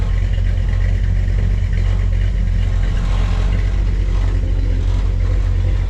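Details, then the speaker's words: Squarebody V8 idle after repairing a broken header tube exhaust leak with gasketless ball-and-socket header joints: deep, steady even rumble, no ticking or puffing, slight smoke and a rattling panel; leak fixed, normal idle. "right I think I got my exhaust leak just figured out for now it should last me a little while yep no more leakies for now just a little bit of smoke"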